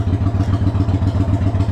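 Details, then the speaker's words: 1993 Yamaha Virago XV535 V-twin after spark plug replacement (heat range 6 swapped for likely 7): loping idle, deep even thumps with no skips or misses; performance seems fine. "it seems like the ones I have now are doing just fine as far as the performance"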